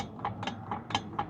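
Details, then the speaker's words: BMW E36 drift car gives light metallic ticks about four per second when the clutch is released, not on throttle. The noise comes from the front of the driveshaft, where a loose collar was found and tightened: driveshaft rattle. "That's the noise. So, like when I let go of the clutch, it it makes that noise. But if I'm on throttle, it won't make that noise."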